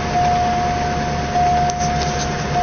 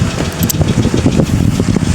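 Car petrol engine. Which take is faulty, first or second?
second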